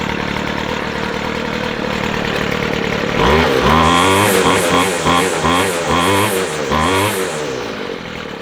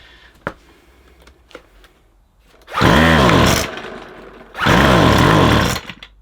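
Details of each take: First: McCulloch 250C XL X-series strimmer after carburettor repair, near-cold start (cooled 5-10 minutes), no choke; pull-cord start catches quickly and settles into steady even low tick-over without stumbling; starting and idling normally. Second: McCulloch 250C XL X-series two-stroke strimmer with a suspected blocked carburettor jet. It won't run off choke, and two short revs burble and sag ("bop, bop, bop") instead of climbing, so it is starved of petrol and running lean. Cause suspected, not confirmed.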